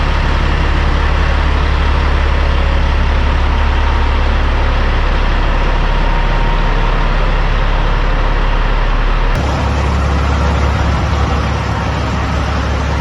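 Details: 2004 Kenworth W900L project truck with CAT C-15 diesel, just started before being brought into the shop: deep, steady rumble with even beat, no knocks or misses, smooth idle throughout; healthy normal idle.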